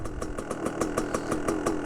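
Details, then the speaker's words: 2001 Gas Gas EC300 300cc two-stroke dirt bike, not yet fully warmed, jetting lean-side. It idles with crisp ring-ding popping at about six beats a second, fairly even with a slight lope. Healthy idle. "Let's see if it starts up. Sounds pretty good. It feels comfortable."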